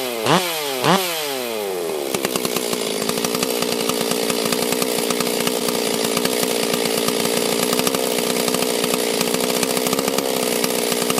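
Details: Stihl 044/440 chainsaw after a blown-up-engine rebuild, started the next morning after about five heat cycles: two pulls, then it catches and holds a steady, crisp two-stroke idle with no stumbling, running strong and healthy.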